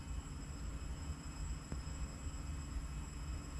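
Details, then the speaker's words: BMW N54 near the end of an MHD flash from an iPhone: a steady, unbroken electric whine over a low rumble that never cycles off. The fuel pump runs nonstop; a corrupt flash or failed pump is suspected, not confirmed. "all right it's coming to the end of the flash but the fuel pump's still going nuts"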